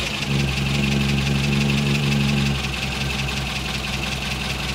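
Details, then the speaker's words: Morris Minor petrol engine before ignition repair, running on three cylinders: lumpy, uneven idle with a regular stumble in the beat, one cylinder dead; ignition problems causing the misfire. "what the hell has happened to my engine well there's quite a few issues actually with the engine that I need to get sorted"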